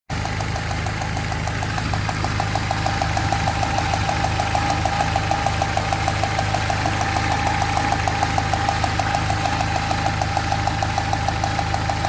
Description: Dieser Motor hört sich so an, denn wenn eine der Zündspulen ausfällt, insbesondere Nummer 2, erzeugt die Zündkerze keinen Funken und funktioniert nur mit 3 der 4 Zylinder.